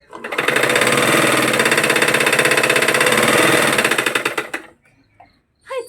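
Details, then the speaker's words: Single-needle sewing machine stitching with a fast, sharp "kadapada" rattling clatter of about three knocks a second that stops when the machine halts. "നമ്മൾ ഇതേപോലെ നമ്മുടെ single Neil machine അപ്പൊ ഇങ്ങനെ കടപട കടപടാ എന്ന് sound വരുന്നതിന്റെ first part ഒരു video ചെയ്തിട്ടുണ്ട്"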